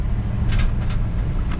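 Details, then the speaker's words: 2013 Ford F350 utility truck with Onan generator, running on compressed natural gas, driving on a road: brief irregular clattering bursts over low road rumble as the utility box lid rattles loose; needs rubber underneath. "This is that lid. Hear that? That lid needs some rubber underneath it. That's annoying."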